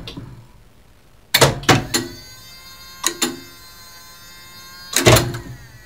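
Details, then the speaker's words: Mock-up elevator shaft driving an original relay controller for a two-speed elevator: sharp relay clicks in quick clusters of two or three with a quiet hum between. The controller is switching normally. "It should stop at everyone stop. So let's listen to the relays clatter."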